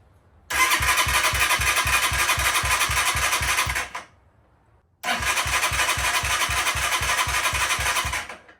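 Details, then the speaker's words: New Amazon motorcycle, first start with choke on, tank about 3/4 full: two bursts of steady starter cranking about four turns a second without firing; no-start from lack of fuel, later confirmed. "Sounds like we are not getting gasoline."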